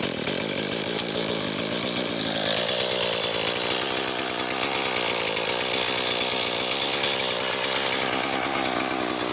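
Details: Small two-stroke garden rototiller that starts but won't run without choke and has no power on half choke: rough uneven buzzing that surges and sags.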